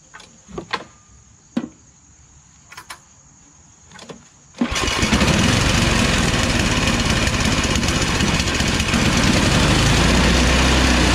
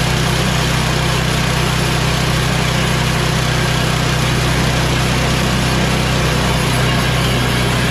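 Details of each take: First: MTD Yard Machines Tecumseh 8 HP Snow King 24-inch two-stage snow blower, after carburetor cleaning: pull-cord starts, then loud uneven hunting surge, stalling at mid throttle; fix is replacing the carburetor and fuel line. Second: Yard Machines MTD 24" two-stage snow blower, 8 hp Tecumseh Snow King, after a new carburetor, new fuel line and oil change, at full choke and full throttle: steady, even beat of about three pulses a second with no misses or surging. It runs healthy.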